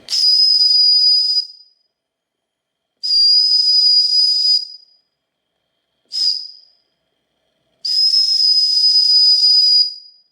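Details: Wilesco D455 tabletop stationary steam engine, warmed up with the boiler at full pressure: four shrill, steady high whistle blasts, one cut short, with clean starts and silence between. Normal whistle; the boiler is holding good pressure.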